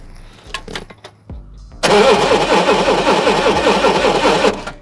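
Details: Forklift running on propane, cranked during spark testing with a spark plug tester set to 20 kV on cylinder six: the starter churns evenly for about three seconds but the engine never fires; crank, no start.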